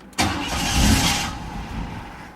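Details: Car after a new battery install, hard to start: the engine catches with a burst, runs about a second, then sags and stalls. The idle air control valve was misadjusted or stuck and needed resetting.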